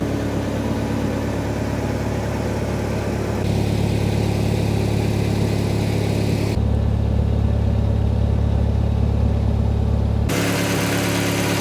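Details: Nissan 300ZX with KA24DE swap on a Link Fury ECU and turbo-ready harness, while being tuned: steady, even engine note holding a constant pitch with no misses or knocks; smooth, healthy idle.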